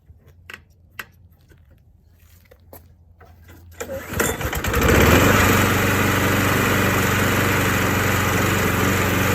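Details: Old Craftsman lawnmower after refurbishment repairs: a few pull attempts, then the single-cylinder engine settles into a steady, even putter with no knocks or misses; normal running.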